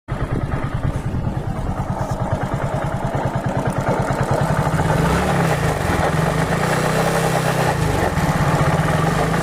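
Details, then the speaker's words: Hero Glamour motorcycle engine at idle: loud, rough, regular clattering about three per second, harsher than normal; abnormal engine noise, cause unclear. "Glamour bike है, देख सकते हैं कितना बुरी तरीके से आवाज़ कर रही है।"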